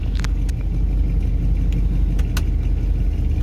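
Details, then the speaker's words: Buick started spring 2024 after sitting since about September 2023, at operating temperature, in reverse with reverse lights and blower adding load; deep uneven rumble with irregular shake and sputter, runs rough under load, less bad in drive. "the lights on more of a load and the [Music] blower you hear how it runs like a bag of [ __ ] like that"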